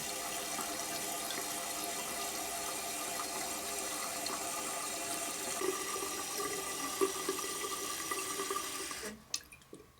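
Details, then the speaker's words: Toilet flush valve after replacement (with shutoff valve, float removed), water turned back on: steady hiss of tank refilling about nine seconds, then clean quick cutoff with faint drips; shuts off a little quicker, may still need fine adjustment. "Yeah, that shuts off a little bit quicker."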